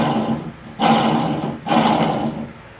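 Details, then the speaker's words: Cub Cadet 1529 riding mower deck, pulley spun by hand during full service: two spins each bring a coarse, droning growl with a rough hum fading as it slows; spindle bearing sounds dry and worn, suspected to need replacing, not confirmed. "That sounds like it might need replaced there. That bearing. That bearing definitely doesn't sound the best at all."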